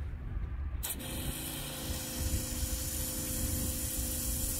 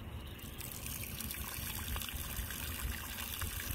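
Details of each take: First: Newly installed SeaFlo 55 Series washdown pump, 70 psi, 5 gpm, replacing a weak Rule 800 gph livewell pump: steady water hiss from the hose over even pump hum, no surging; good pressure. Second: Rule Tournament Series 800gph livewell pump tried as a boat washdown pump: only a thin, uneven trickle with no strong flow; not pushing enough pressure, so it was replaced by a SeaFlo 55 Series 70psi washdown pump.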